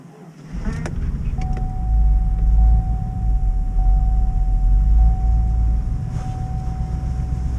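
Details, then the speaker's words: GMC Yukon at -21 °C (-6 °F) after failed crank then booster pack start: deep steady rumble, even beat, thin constant whine on top; normal cold idle. "She Goes she's running she didn't want to start"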